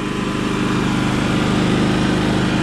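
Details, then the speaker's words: Champion 3400 inverter generator after carburetor cleaning, previously wouldn't run: even, steady small-engine drone, smooth on auto throttle, no misses, surging, knocks or smoke; normal running. "making power running smooth let's see let's let's turn to autothrottle there you go 'we should back down Wow it runs really nice look at that sounds very good"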